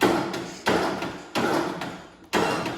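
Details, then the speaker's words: Craftsman T2600 mower, 19 hp single-cylinder Briggs & Stratton Intek, new battery, sat a while: starter heaves in heavy bursts, stopping at each compression stroke; compression release not working, too much compression, likely bad camshaft. "it's coming back to that compression stroke again and it's not getting past it we have too much compression the compression release valve inside that motor is bad"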